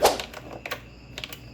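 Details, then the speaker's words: Repaired hazard switch on a 2004 Toyota Corolla Altis (9th generation), tested after DIY fix before reassembly: crisp light clicks in loose pairs, switch clicking over cleanly. "Oh, I can hear the switch flicking. See? So I think it should work."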